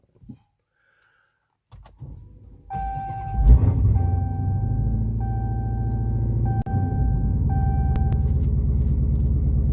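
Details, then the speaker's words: Dodge Hellcat V8 after exhaust rattle fix and lowering springs removed: cranks, catches with a loud rev, settles into a deep steady idle, no rattle and no check engine light. "It's no freaking rattle. Thank the Lord. And we got no check engine light."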